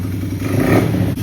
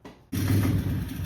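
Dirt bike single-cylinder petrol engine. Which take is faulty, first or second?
second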